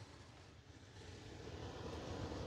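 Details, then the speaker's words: Gas furnace blower still running on its off-delay after the thermostat is satisfied (set down to 71 with 73 in the space) and the flame is out; soft, steady airy whoosh with faint low hum, no flame roar. Normal blower off-delay run. "we still got blower motor, because that blower motor is going to have a delay on it."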